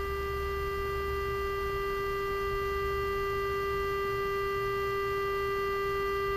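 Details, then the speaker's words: Emerson R-156 electrodynamic speaker with new field coil energized by slowly ramped supply, 400 Hz tone: clean steady mid tone, even, no buzz or rattle; reproducing properly. "okay that's a great sign I think I'll just leave it there for now"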